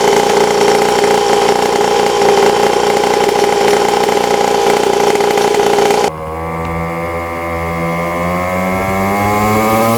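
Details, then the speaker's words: 50cc Temu pit bike fitted with a built high-compression swap motor replacing the blown stock 49cc: revving buzz drops to a deep, even idle that slowly climbs in pitch, chomping dirt-bike tone, steady firing, no knocks; running well. "this motor actually sounds like a dirt bike and it's like chomping and you guys can hear it in the background or for instance."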